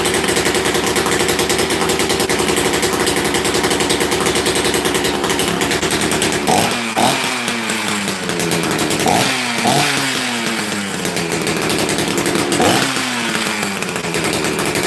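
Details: Rarely run chainsaw, started after sitting: crisp two-stroke buzz with quick throttle blips that rev up and fall back cleanly; running healthy.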